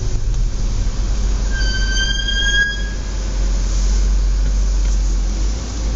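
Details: Audi S4 B8 braking on the Domberg hill in Bamberg in low outside temperature: a shrill, high squeal rises over the rumble as the car slows; extreme brake squeal.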